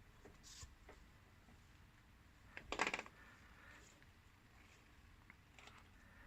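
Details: Kawasaki VN750 shaft final drive: sparse metallic clicks and one louder clinking burst from the dry rubber damper; greasing the rubber-to-metal mating points fixed it.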